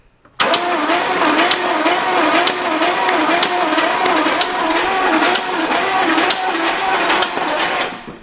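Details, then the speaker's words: 1960s Oldsmobile 98 that sat about 30 years, cranked for the first time on a fresh battery: a sharp slap about once a second in time with the engine. Valve train clatter, probably a loose rocker slapping over a stuck valve rather than valve-to-piston contact. "It's probably not a valve hitting a piston that we're hearing. It's probably a really loose rocker being slapped down because there's a valve stuck down."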